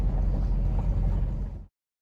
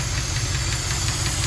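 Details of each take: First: 1974 Jensen Interceptor, Chrysler Mopar big-block V8, first startup after lifter replacement with rocker shaft bolts torqued to 25 ft-lb: low, even V8 rumble, tapping gone as lifters fill with oil, valvetrain healthy, normal idle. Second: 1974 Jensen Interceptor with Chrysler Mopar big block, warm idle after a 15-mile run: light, sharp ticking about five or six times a second from a noisy hydraulic lifter (tappet), before replacement.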